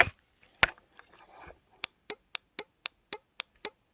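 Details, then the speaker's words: Remote-control relay board for a light jhalar powered with 12 V: crisp evenly spaced clicks, about four per second, eight in a row; relay switching normally. "तो ये देखिए, जैसे मैं इसमें connect करता हूँ, इसके अंदर से आप आवाज़ सुन रहे होंगे रिले की कट कट की,"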